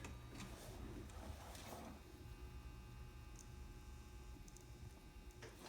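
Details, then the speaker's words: Old N scale Atlas/Rivarossi 2-8-2 Mikado locomotive motor run on low, slightly increased voltage before oiling: steady faint whir, no catching or grinding; good running motor with lots of life left. "it's actually a good running motor lots of life left in it I have to increase my voltage a bit"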